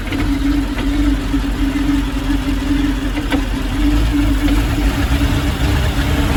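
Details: Chevrolet Malibu idling rough: uneven, lumpy low beat and wavering hum instead of a smooth run.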